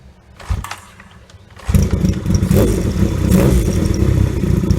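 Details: 1978 Yamaha XS750 Special triple after a three-week revival (carbs rebuilt, fresh oil, new exhaust), kick-started because the battery was dead: quiet kicking, catches near two seconds, settles into a steady, even idle with lively exhaust; healthy start.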